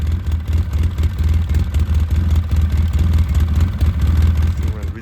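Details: 2009 Polaris RZR 800 barn find, parked about 5 years, earlier stalled whenever given gas; steady lumpy engine beat about four pulses a second, running on its own without cutting out; engine runs fine now.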